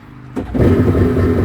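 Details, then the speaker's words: Yamaha two-stroke jet ski: fires almost instantly and picks up into a smooth, buzzy two-stroke run with no misses or knocks; healthy, runs great. "beautiful beautiful love it i never complain about that the yamaha is great two strokes"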